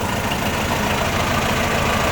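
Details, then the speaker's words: Komatsu FD18L diesel forklift after repairing a cracked steel hydraulic line that leaked and stopped it lifting: engine holds a steady, even note while the forks lift, with no strain, knock or hydraulic whine; healthy running under load. "นอนสบายเลยครับตอนนี้ยกขึ้นเรียบร้อยครับนี่ครับเครื่องไม่ต้องเล่นเท่าไหร่เลยเออสบาย"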